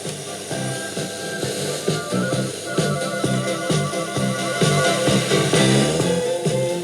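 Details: Telefunken Bajazzo Compact 3000 vintage cassette radio recorder, after reseating a switch held by a spring: clean music with steady beat from the speaker, no crackle, cutouts or hum; plays normally, dirty switches suspected as the fault.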